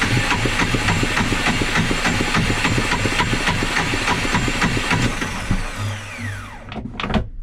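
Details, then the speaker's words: Yanmar 2GM20 marine diesel after refitting the cleaned starter motor, battery 12.9 V: even starter cranking about three and a half compressions a second for six seconds, never fires; starter engages cleanly and sounds healthy but the engine won't start. "I mean that feels like how it should do but it's just not starting it's just not turning over but sounds healthy"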